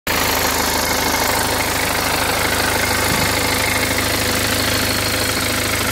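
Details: BMW 320d N47 177hp diesel at idle: faint, quick tick around three a second under the clatter, loudest at the lower right of the engine bay; acceleration and performance normal, no clunking; cause unknown.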